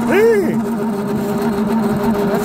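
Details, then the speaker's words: Chevy squarebody truck parked 19 years: heater blower motor runs with a steady low hum and a wavering, rough higher whir that sounds terrible; owner assumes the noise is the blower. Noisy blower motor. "it's already doing something I hear the heater blower motor spinning assume that's what it is yeah"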